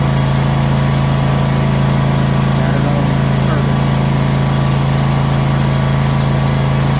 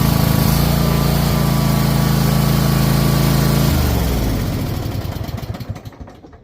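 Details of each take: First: Troy-Bilt Mustang XP zero-turn mower, after fixing throttle stuck on high idle, started on choke: single-cylinder engine holds steady even drone with no surging or hunting; normal running. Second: Troy-Bilt Mustang XP zero-turn mower engine with throttle stuck on high: holds a fast, even drone that will not drop toward low idle, then cuts and coasts down; engine stuck at high idle, cause not yet found.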